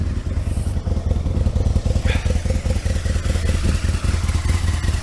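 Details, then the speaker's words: Aprilia RSV Mille 1000 V-twin, cold on freezing morning, choke off soon after start: lumpy but even thump about two and a half beats a second, settled and steady while warming; normal cold idle. "So I try and take the choke off as quick as possible. It didn't do too bad to say it's still cold. I'll leave it like that for a bit."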